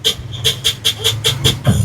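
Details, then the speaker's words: Sakura AB735 integrated amplifier, right channel: choppy sputtering bursts breaking up the sound while the left channel is normal; fault confirmed in the right channel's amplifier stage. "Okay. Confirm na nasa amplifier ang problema dito. Dito may problema sa may amplifier stage niya."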